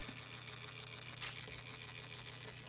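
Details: Soundesign Model 3578 flip clock radio just plugged in: faint constant buzzy rattle over low hum from the clock motor gearbox; dry gears suspected.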